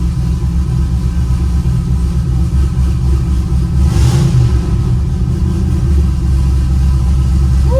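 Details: Pontiac GTO V8 at its first start-up after overdue maintenance, engine primed beforehand, lots of pressure reported: deep, steady rumble with an even beat and no ticks or knocks; a healthy idle.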